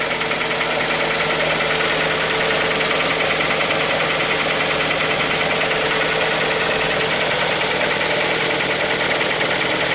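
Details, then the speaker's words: Hyundai ix35 2.0 G4KD engine, timing chain previously replaced, morning cold start: loud busy idle with fast clattery tapping about three per second; knock cause uncertain. "Теперь посмотрим, как же он будет звучать утром, когда я приду и запущу его. И вот она, работа двигателя с утра."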